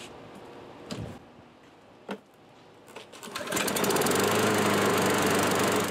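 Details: Curb-found self-propelled Craftsman mower after carburetor cleaning and reinstall with air filter box; a few handling thumps, then it catches and settles into an even, steady run without surging: normal running.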